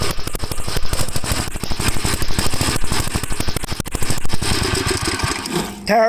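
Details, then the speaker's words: 1954 Gravely tractor, mic right at the muffler, before refitting cleaned carburetor: loud, uneven single-cylinder popping with misses and stumbling; running rough, carb clogs suspected. "i hope that wasn't too loud for you add this right up to the muffler but i want you to hear how bad it runs"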